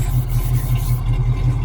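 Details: 1968 Ford Mustang coupe, 302 V8 with mild cam, 3-speed manual: deep, even idle with slight regular cam lope, no tapping or misfire; sounds healthy.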